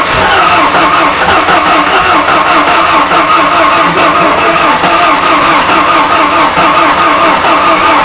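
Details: Ford Sierra Cosworth turbo four-cylinder, 460 bhp, first start: loud, steady idle with an even, unbroken beat and no knocks or misses; the engine runs healthy.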